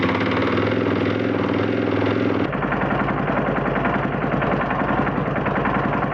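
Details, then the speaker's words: Husqvarna FE 501 in cold conditions, first crank on a new SSB lithium battery (stated 240 cold cranking amps): a brief crank, then the single fires first time and settles into a steady, quick idle; cold start problem fixed. "happy days happy days one time first time cranking over it's never done that before amazing"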